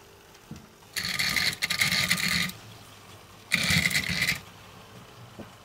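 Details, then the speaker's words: Trix Collett Class 5600 2-rail model locomotive, sold as a non-runner, first tried on track before servicing; the small motor whirrs in uneven bursts, cutting in and out and stuttering instead of humming smoothly: running very roughly. "right it's running very roughly but at least a and like all of these loes try Swit off and running at the same time"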